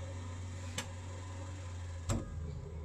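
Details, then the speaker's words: Truma water heater in camper van, switched to hot-water mode remotely via Inet Box phone app: quiet steady low hum with two sharp clicks as it kicks in; normal heater start-up. "Et là, normalement, le Trouma, il va se mettre en route pour chauffer l'eau chaude. On va voir. Voilà, c'est parti. On l'entend. Donc ça se met en route."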